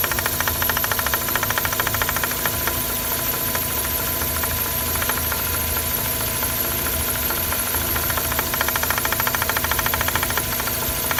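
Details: A Mazda RX-8 engine bay at idle: a fast, even, light rattle of about two per second. It is caused by excessive play in the SSV actuator rod, which is harmless but noisy.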